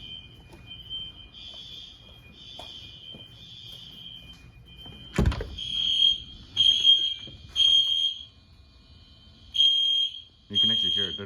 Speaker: in sync at all i hate that i gotta get a sync module one